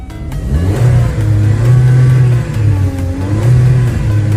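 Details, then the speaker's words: Car that wouldn't start after refuelling, after tapping the stuck canister purge solenoid closed and refitting it: revs climb and fall smoothly, no stumble or misfire, engine runs steadily. Normal revving, problem fixed. "走去前面看看，你看，发动机运转的特别平稳，问题已经解决了。"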